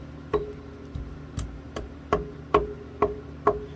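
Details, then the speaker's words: G&L guitar with floating tremolo bridge, during final setup: loose tremolo springs rattle in the back cavity, giving sharp metallic taps with brief ringing twangs. "of here the springs kind of rattling inside of here a little bit i want to stop that from happening so what i'm going to do is pluck each uh spring out of here and put my little touches to it with my shielding heat shrinking tubing"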